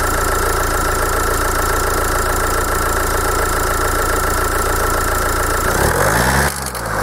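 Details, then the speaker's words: Kia 2.0 CRDi Bosch common-rail diesel idling, apparently at operating temperature, with a harsh clattering knock over a steady tone, then a brief rev change; knock absent when cold; injectors suspected but cause proved otherwise. "chcę zademonstrować i pokazać jak wygląda właśnie to stukanie"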